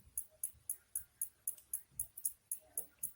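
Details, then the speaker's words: LG (GoldStar) CF-20D60 TV, chassis MC-64A, that won't turn on: sharp even ticks about four a second as the power supply cycles and restarts; likely a short in the supply's secondary circuit, suspected, not confirmed. "а это свидетельствует о скорее всего наличие короткого замыкания вторичной цепи блока питания"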